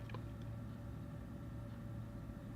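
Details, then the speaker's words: Old 3Com fibre-optic backbone network switch in a padded cabinet under a workbench: steady low drone with a faint fixed whine, its cooling fans still incredibly noisy. "now the switch is actually to the left of my workbench it's underneath the workbench and it's in a cabinet and it's got lots of stuff packed round it to try and deaden the noise and it's still incredibly noisy"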